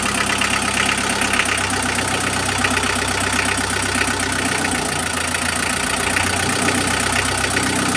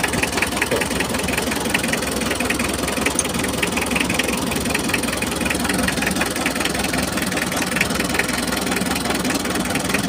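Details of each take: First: Mitsubishi L300 diesel after its injector nozzles were cleaned: steady, even idle clatter with no heavy shaking or roughness. Normal diesel idle. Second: Mitsubishi L300 diesel idling while injector lines are loosened one by one: lumpy idle with irregular knock; cylinder three nozzle appears clogged, number four barely delivers, so all nozzles are to be removed for cleaning.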